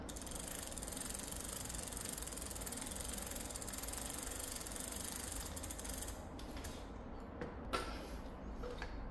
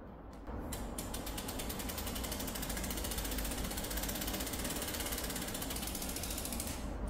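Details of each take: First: Korean alltobike bicycle internal gearbox freewheel ratchet without noise-reduction: fast, even pawl clicking for about six seconds that then slows and fades as it coasts; normal freewheel ratchet clicking. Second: Prototype bicycle internal gear hub without noise reduction gives a rapid, loud buzzing ratchet clatter from its pawls, before damping and oil are added; loud pawl ratcheting noise.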